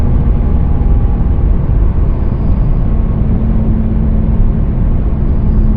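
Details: 2017 Nissan Sentra SV while driving: low, steady drone under road rumble with a faint tone near 200 Hz; humming noise.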